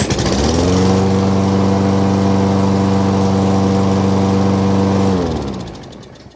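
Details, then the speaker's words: Craftsman lawnmower model 247.371240 that would start then die, after carburetor cleaned twice and spark plug replaced: steady, even drone with no bogging or hesitation until it winds down; normal running. "damn running like a champ clean no bogging down no hesitation it's good to go"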